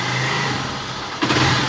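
Steady, even idle that climbs cleanly with a blip of throttle, no knocks or ticks; this small bike engine sounds healthy.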